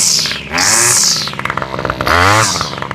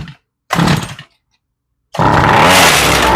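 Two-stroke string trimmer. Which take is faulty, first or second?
second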